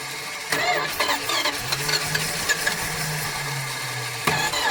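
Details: 1976 Dodge Dart barn find, unregistered since 1997, catches after a few cranks and runs unevenly for a few seconds on gas poured into the carb, pointing to fuel starvation.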